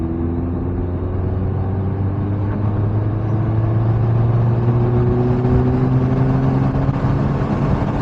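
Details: Mini R56 daily driver after repairing the split front flex pipe with an aftermarket section, clamps and sealant: smooth low exhaust note climbs gently as revs rise, with no puffing or ticking; the exhaust sounds sealed.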